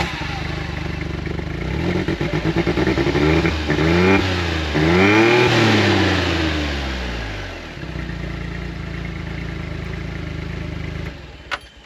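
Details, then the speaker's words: 2016 John Deere Gator 825i UTV: revs up and settles with uneven stumbling beat at low speed, smoothing out around 30 mph; sounds like missing, owner suspects faulty fuel pressure regulator overfueling at low speed. "t because it sounds like it's missing. And it's also when you get up to about 30 mph cruising, it smooths out and run as good."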